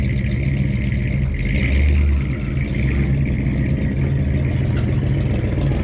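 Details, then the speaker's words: 1967 rig, over 50 years old, started on full choke and running on old bad gas. Low rumble at idle with one quick blip of revs and a slightly uneven, unsettled idle. Running rough. "this one is uh 1967 so over 50 years old and she still fires right up on some old bad gas um doesn't run the best but pretty cool rig"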